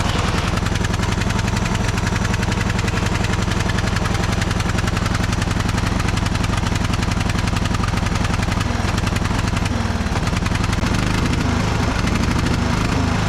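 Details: Neighbor's cheap Craftsman riding mower, oil checked, jump-started: small single chugging at about 220 pulses a minute, wavering, won't rev up, no throttle response; owner suspects clogged muffler, rat's nest found.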